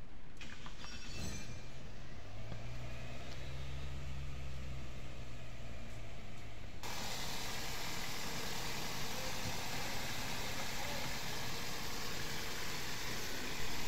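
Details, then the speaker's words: Car engine overhauled for missing and no pickup, first start after the rebuild: a steady hum settling into an even, slightly fast idle, to be corrected by tuning, with no misfire or knock; normal high idle. "Friends, গাড়ি start করছে এবং আলহামদুলিল্লাহ খুব সুন্দর চলতেছে। Sound একটু বেশি, race বেশি আছে এখানে, কারণ ফার্স্ট টাইম স্টার্ট করছি। আর এটা টুনিং করলে ঠিক হবে।"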